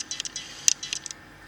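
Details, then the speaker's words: Nikon D5500 with AF-S 18-105mm kit lens, focus shifted via touchscreen: quick bursts of thin, high whirring picked up by the camera's internal microphone, a noisy autofocus motor. "nampak bawa motor bungkusnya cukup berisik dan terdengar sampai di microphone internal dari kamera"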